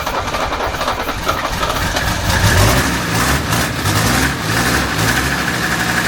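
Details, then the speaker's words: 1978 Mercedes 300CD with a swapped 1984 OM617 turbo diesel, updated turbo and injection pump, running after the fuel shutoff was unhooked: catches and settles into a steady, even, clattery diesel idle with no misses or hunting. "She's alive. We need to start it again."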